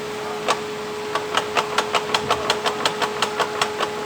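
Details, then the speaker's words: 2014 Ford EcoSport 1.6 Sigma: sharp metallic clunks, nearly three a second, from a worn inner CV tripod joint with play in the front driveshaft on one side. The wheel moves before the shaft does. "Esse é o barulho que faz hein pessoal e arrancar até a embreagem do carro por causa desse barulho"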